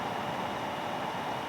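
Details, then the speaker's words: Microphone held close to the 600 W switch-mode power supply fan while it powers a TPA3255 Class D amplifier under load into two 8-ohm resistors. A steady airy whoosh with a faint constant tone and no ticking or rubbing means the fan runs normally; the bench supply adds slight noise. "i'm gonna move the microphone right over here but real close to the fan that's the fan noise uh the bnk also makes a little noise the ac power supply"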